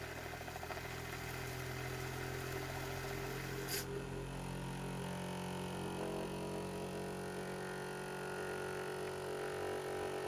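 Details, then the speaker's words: 3D-printed pulse motor on single-coil JL94 circuit, magnetically floating rotors spinning: soft steady hum, even tones, no rattle over bearing whir; still much quieter, normal running. "And if I pull this up and I get all of them spinning, it's still much quieter, even with all the"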